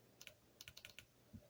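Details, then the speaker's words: Volkswagen Rabbit replacement automatic transmission valve body solenoids bench-tested on a 12 V battery: sharp light clicks in short pairs and bursts, a few noticeably softer, possibly oil inside (suspected); weak solenoid click. "It's a little, this one and this one are a little softer, I guess, in terms of the loudness. So not a big deal, but since there may be oil in there, it's my guess. But you can hear them clicking, so we'll just keep going."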